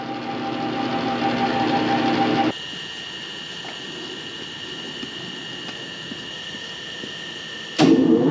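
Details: Metal lathe bought non-running and disassembled, first power-up after cleaning, painting, reassembly and rewiring: steady clean gear whir settling evenly after startup, no knocking or grinding; lathe runs healthy.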